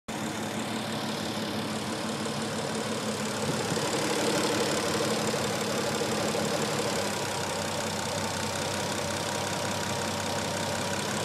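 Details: Petrol engine at idle after an oil change plus a quart of ATF added: faint quick lifter tick, about three a second, still audible but much quieter than before. Cause suspected, not confirmed.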